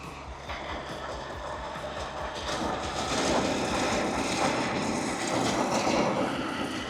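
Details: 1928 Ford Model A pickup, 40hp four-cylinder barn find with original wiring: settles into a steady loose clatter of about three beats a second at low idle, running on its own; normal running.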